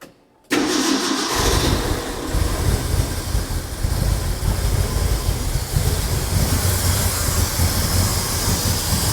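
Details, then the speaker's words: Ford F100 truck, bought without being started, restarted after sitting in case it had flooded: it catches at once and settles into a steady rumbling idle with no stumbling. Idle setting still to be checked; no coolant in yet, so a short run only. "so as this thing's idling up I need to make sure that uh the idle's set right but I just want to make sure that it runs"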